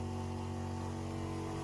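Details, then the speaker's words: 12 V water pump in a van water system, running: steady low hum at constant pitch with no surges or knocks; normal operation, drawing 0.6 A (9 W), no leaks. "le bruit est constant là on entend pas d'AC coup ça fait quand même un peu de bruit"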